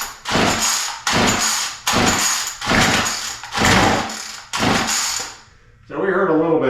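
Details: Murray M2510 straight-shaft two-stroke line trimmer, air filter cover missing, full throttle, choke open, starting spray in carburetor: rasping starter pulls, brief catch then dies; spark and compression fine, fuel not reaching engine.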